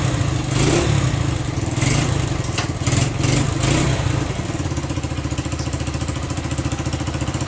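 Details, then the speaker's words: Honda SL100 single in a 1975 SL125/XL125 frame, worn out, cold, choke almost fully closed: putters unevenly, surges, then lumpy pulsing idle; carburetor fault, will only rev with choke almost fully on. "I'm gonna ride around the yard a little bit, just check it out, but it's got some carburetor issues. You can't rev it up unless the choke is almost all the way on."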